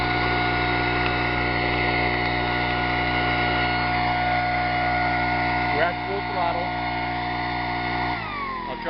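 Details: 25cc four-stroke leaf blower engine on synthetic fuel (about 80% natural gasoline), upper 70s–low 80s °F: even steady buzz at mid throttle, no stumbles, dropping cleanly near end; runs smoothly.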